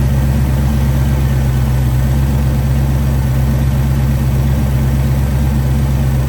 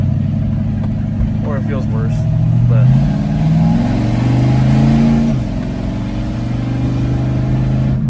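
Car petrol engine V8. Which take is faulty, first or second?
first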